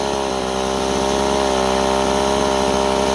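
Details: Stihl 028 chainsaw at running temperature after new crankshaft seals: revs high, pitch keeps wavering and never settles; unstable running, owner suspects an air leak, likely between carburetor and intake boot, pending vacuum/pressure test.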